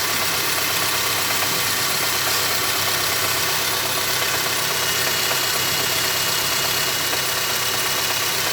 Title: my engine making knocking sound